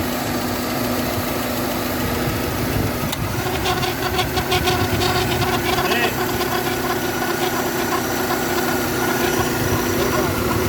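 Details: Idling engine with steady droning tone and rough rattle: failing A/C compressor with excessive friction when engaging, raising its temperature and risking belt breakage or even engine fire.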